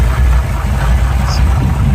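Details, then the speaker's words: Older V8 with points ignition, power steering and power brakes idling; deep, even low rumble with steady beat and no knocks, misses or ticks; runs nice and smooth. "as you can see it seems to run really good excuse me here get it open one hand sorry about that runs nice and smooth"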